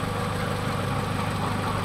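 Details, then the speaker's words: Honda City Type Z after repairing oil leaks at valve cover gasket, distributor O-ring and oil seal: steady, even idle with a smooth low hum, no ticking or knocking; engine runs quietly. "So ayan mga boss, tahimik na po yung ating ginawang"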